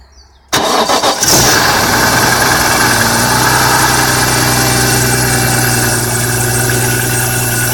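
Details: BMW E46 M3 engine cranks and catches, then idles with a harsh, scratchy chirping and grinding noise layered over the running note.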